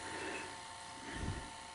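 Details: Sony SL-HF600 Betamax whose video head drum had not turned and whose capstan servo needed adjusting, now running after the repair: a soft, steady whir with a constant mid-high tone and no scraping or ticking, so the head drum spins normally.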